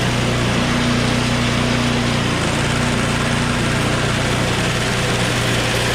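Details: Small snow blower engine started on choke at high throttle: even, steady buzz with no misses, knocks or hunting; starts right away and idles smoothly.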